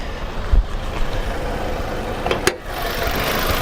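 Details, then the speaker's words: Nissan Altima idling with an uneven beat and stumbles; cylinder one misfire that followed the swapped ignition coil, so a bad coil pack, coming and going. "yep and it's missing right now right now it's missing i can feel it i just want you guys to hear it"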